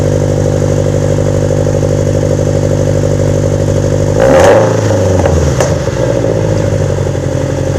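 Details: Subaru BRZ/Scion FR-S first start after installing CNT Racing unequal-length headers with new gaskets: a steady, lumpy boxer burble, then one quick blip rising and falling cleanly back to idle, with no rattles or misfires. Normal idle and rev.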